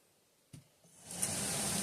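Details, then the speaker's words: Stock RV roof vent fan, unducted, with an old-style low-tech motor: a click, then rising hiss settling into a loud steady whoosh with low hum; noisy original fan, later replaced with a quiet PC fan. "I mean, it's not ducted, really loud, and I'll show that. We'll measure that here in a second. And it has this real low-tech, old-style, like 1930s tech motor on it."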